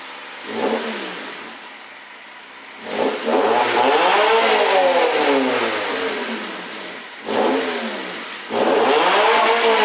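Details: 2000 Honda Civic revved on its stock exhaust, before an eBay 4-inch rolled-tip exhaust install; three clean blips, pitch climbing and falling smoothly back to a quiet idle; normal stock exhaust.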